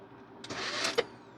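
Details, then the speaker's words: Starter on the vehicle spinning with a half-second high whir but not cranking the engine; starter slipping, drive likely not engaging, newly bought starter suspected wrong or faulty. "nothing, the starter is slipping." "It's slipping, you son of a bitch, Blanquita's never easy option.""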